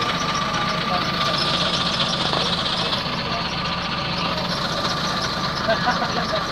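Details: London bus diesel engine idling, with a constant thin high squeal, steady in pitch, riding over the rumble. Squeak somewhere on the engine, cause unknown.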